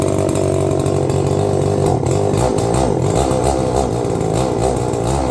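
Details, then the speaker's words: New Holzfforma G366 Pro chainsaw, first start, fresh out of the box: loud two-stroke buzz that wavers and stumbles unevenly instead of holding steady pitch; rough running on first start, smoothed out after a few more minutes of running. "Initially, in the first start clip, she was definitely a little grumpy. But shortly after I filmed that and then cut the camera, I went into the tool room and I ran it for another couple minutes, and she smoothed out quite nicely."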